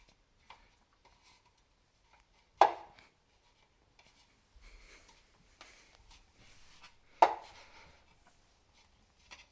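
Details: Elite Suito-T trainer, bought new October 2021, noise since November 2022: sharp, hollow knocks every few seconds, once per flywheel revolution, only when the flywheel turns forwards, not backwards.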